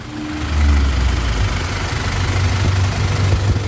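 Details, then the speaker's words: Toyota HiAce Grandia diesel after alternator repair, charging 14 V, idling with headlights and air conditioning on; deep, steady idle holds even under electrical load with no metallic scraping left, engine sounds healthy. "Yan, headlight, aircon. Aircon na guys. Yan. Wala nang ingay yung kanyang makina."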